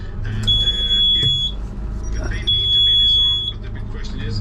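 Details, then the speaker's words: Hewescraft 25 Alaskan boat with twin Honda V6 outboards idling; loud, high, steady helm alarm beeps about every two seconds flagging the port engine (engine one), then silenced. "So right now I'm going to just hit this off. Boy, that's a loud beeper."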